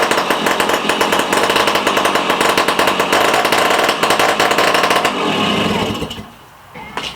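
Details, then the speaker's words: Rusty 1965 Sears Sabre project motorcycle running on a replacement car-size ignition coil: fast, even popping beat holds steady, then revs fall away and it shuts off cleanly; normal running. "She sounds good."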